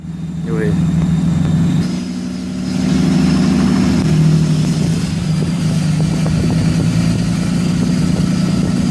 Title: 6.7 Cummins turbo failure